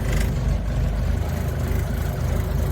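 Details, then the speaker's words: Suzuki Samurai (SJ413) driving home: heavy low drone with dense, busy rattling through the loose body; owner expects new body seals to quiet it slightly. "lots of noises in this baby"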